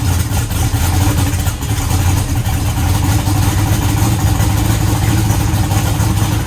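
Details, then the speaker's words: Eagle Talon, rewired and converted from Pro EFI to Holley EFI: steady, even low rumble at idle with no misses or stumbles; now firing on all cylinders. "sounds like it's hitting on all of them now"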